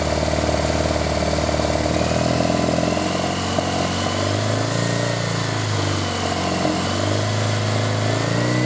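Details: Triumph Bonneville twin after replacing failed regulator that stopped battery charging: steady even idle with smooth rises in revs, no knocks or misses; charging back to normal at 13.9 V at idle.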